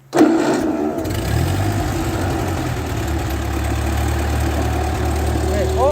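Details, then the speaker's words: 1939 Ford 9N tractor restarted after alternator refitted; starter catches, engine fires and settles into a steady, even idle with faint hydraulic pump hum underneath. "all right, so I can hear, sounds like the hydraulic pump is turned on."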